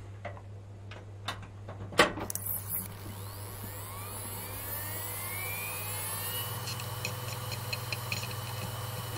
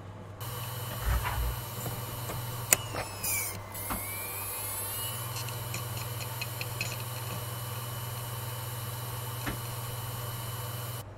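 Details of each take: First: Hard drive powered up with the system; a few clicks then smooth whir rising in pitch to an even hum as drive spins up and initializes: normal spin-up. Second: Hard drive in an Orico 1106SS SATA hot-swap rack loses power when a second drive is hot-connected. It clunks sharply as the heads park, then its whine sweeps back up as it respins and reinitializes.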